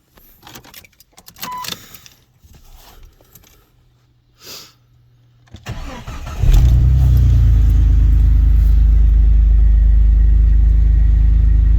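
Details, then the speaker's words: Jeep XJ after alternator replacement (previously squalling on startup): engine catches quickly and settles into a smooth, steady idle, charging; normal start and idle. "Oh, she's charging up. Running nice and smooth."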